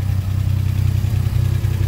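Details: Alpine V6 idling with newly fitted exhaust silencer before a test drive: deep, even burble with a steady low pulse and no miss, tick or knock; normal idle.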